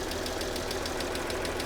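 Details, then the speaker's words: Copart Mercedes idling with the hood open: a shaky, uneven idle with fast regular ticking, which the owner thinks may be cylinders 4, 5 and 6 misfiring. He suspects a clogged catalytic converter on one exhaust side; the injectors show no leaks. "okay doesn't sound bad a little bitty tick and she's a little shaky maybe because four five and six aren't really talking to each other very well"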